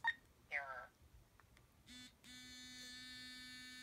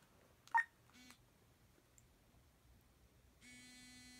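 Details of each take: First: Currency reader switched on with no bill inserted: after a couple of short chirps, a steady low buzz holds about 1.5 seconds then stops; normal no-bill vibration-mode signal. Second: Talking currency reader failing on a bill: quiet room, then single flat beep about 1.5 seconds; error alert, bill not read.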